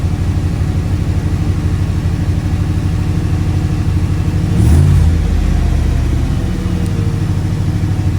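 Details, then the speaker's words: AK 427 Cobra replica V8, first start of new engine in neutral; steady even burble with one short throttle blip settling straight back; normal idle. "Well, relieved is an understatement. Always a right result of the getting an engine start."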